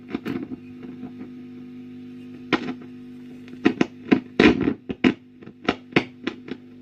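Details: 1965 Wem Custom 15 valve guitar amp on a bulb limiter shows steady mains hum with irregular crackling bursts, an intermittent frying fault. Plate or cathode resistors are suspected, as are dirty, uncleaned tube sockets. Not confirmed.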